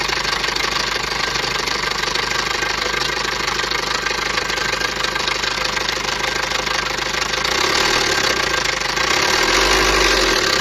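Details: Maruti Ritz petrol engine at idle with a busy metallic rattle on top; abnormal timing chain noise, typical of a slack chain.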